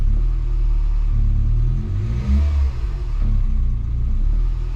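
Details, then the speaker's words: Scion daily driver with a recurring misfire, known oil consumption and low compression, just restarted after a compression test: uneven, lumpy idle stumbling about once a second, missing badly on a cylinder before settling. "Oh, she's missing bad though."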